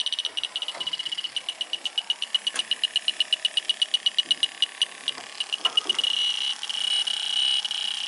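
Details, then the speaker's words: Air conditioning unit found at 0 psi and pressurized with nitrogen: an electronic sniffer ticks steadily, then races into a fast high chirping alarm at the service port. A refrigerant leak is detected at the Schrader core, to be replaced. "a leer a weeper in a Le I put some nitrogen on there see it yeah you can hear it so we're going to need to get another another oil of course"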